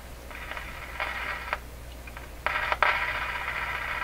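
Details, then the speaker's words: Westinghouse 636 tube radio during output-stage capacitor and component replacement: hiss and static swelling in uneven bursts with sharp clicks and crackles; intermittent clicking, cause not yet found. "is that it's clicky [Applause] oh no it is oh so funny"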